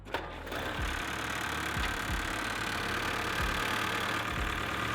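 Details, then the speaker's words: 1948 Willys Jeep old four-cylinder, warm after a fast drive, idles steady and even with no misses, knocks or hunting; carburetor bowl appears dry, temperature normal; owner suspects the fuel pump was the fault and it may be fixed. "we might have uh we might have fixed it we might have might have been the fuel pump"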